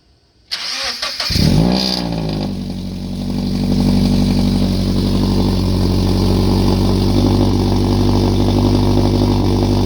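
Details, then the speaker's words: Car after header repair with both O2 sensors reinstalled: cranks, catches, flares, settles to steady even idle with no exhaust ticking or puffing; no header leak and no O2 sensor codes. "So I've spent so much time in this car, I can already hear that it's not leaking. This is all good."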